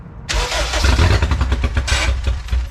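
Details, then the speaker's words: K20-swapped Honda EF sedan, six gallons of fuel, won't run on its own: brake cleaner sprayed in as starting fluid makes it bark for a couple of seconds with loud, sharp backfire pops amid rough firing; injectors suspected not firing. "it's going to be kind of loud so it's not turning on by itself Simon Brak cleaning stuff is scary bro when it backfires it's"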